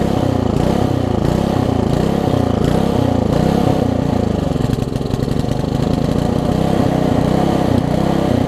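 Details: Old (1996 or later) Troy-Bilt Tuffy tiller, 4 hp Briggs, left outside, before repair, air filter cover off: speed hunts up and down about twice a second; surging rough running, owner thinks original carburetor too far gone despite new diaphragm.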